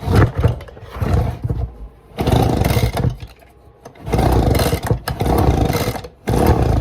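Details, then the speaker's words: Echo PB-200 pull-start engine, tested in winter after its carburetor was cleaned and the carburetor and gas tank refitted with fresh gas: repeated pulls give a few ragged low pops that die out. It cranks but won't start, and the owner suspects it may need a new carburetor. "Man, I don't know. It's ain't even trying. I don't know. I mean, it's not like that cleaning I did was going to suddenly make the motor run, but I am stuck."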